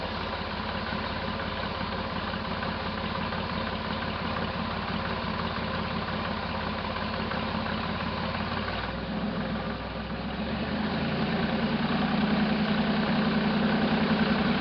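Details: 1968 Jeepster Commando with Buick V6, after plug lead and spark check: smooth idle with a faint uneven stumble in the beat, three to four pulses a second; still misfiring on one cylinder, possible mechanical damage suspected.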